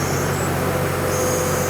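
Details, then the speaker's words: Diesel engine driving a hydraulic system through a flow meter as the loading valve is wound in and pressure rises: a steady heavy drone as the engine labours. A relief valve limits maximum pressure, so this is normal. "You can also hear the engine starting to labor down."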